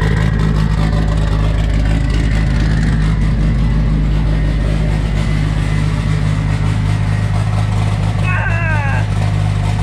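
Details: Freshly assembled ~500 hp 2.3, first run on a mix of 87 and Q16 fuel, good oil pressure: deep, steady, even idle with no knocks or misses; normal idle, only a coolant fitting leak noted.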